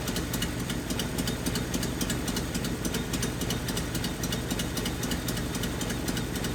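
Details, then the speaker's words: 1981 Nissan 280ZX six-cylinder with a five-speed, sat 15 years, idling in neutral: a lumpy idle that keeps dropping and picking the cylinder back up. Cylinder misfire from a failed injector that would not click. "i put it back in neutral to make sure that it could idle still and it did except it was like it was picking up the cylinder it would drop it was like it was trying to"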